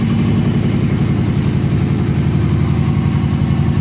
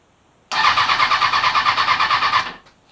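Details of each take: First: Kawasaki Ninja ZX-636 after rebuild and fuel injection reinstall, restarted: quick steady idle beat, even exhaust note, no misses or knocks; fires right up and idles normally, idle slightly low. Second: Kawasaki Ninja ZX-636 rebuild, new battery, fresh fuel, tank reconnected, previously ran before sitting: starter cranks in a quick even chug with no firing and no fuel pump priming; suspected fuel pump connector fault.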